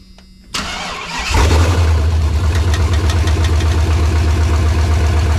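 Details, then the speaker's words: 1986 Chevrolet C10 with LS engine swap at first start after fluids were topped off, no exhaust fitted; brief crank, catches at once, loud steady even idle, no leaks; normal start and idle. "hell yeah no leaks started right up what a feet now we gotta get some exhaust on the damn thing"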